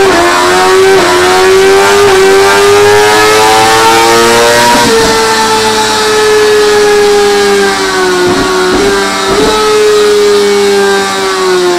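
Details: 2017 Suzuki GSX-R1000R with HM quickshifter: high wail dipping in short clean cuts at each change; upper-gear shifts very smooth both up and down, lower gears possibly still needing sensitivity tweaking.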